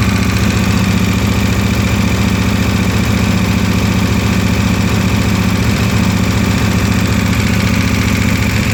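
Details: KTM 1290 V-twin cold idle, noise since 10,000 km, disappears once oil reaches 70°C: steady regular metallic ticking about three per second over the low rumble; cause undetermined.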